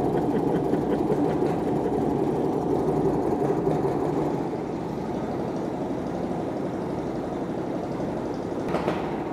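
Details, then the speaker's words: Stuart Turner P5M 2-stroke single-cylinder inboard from a 1958 Windermere launch, just revived, running smoky: quick, even two-stroke beat with rapid steady patter, no knocks or misses; normal, healthy idle. "It's quite smoky, but it is a two stroke. But listen to that. That is really rather lovely."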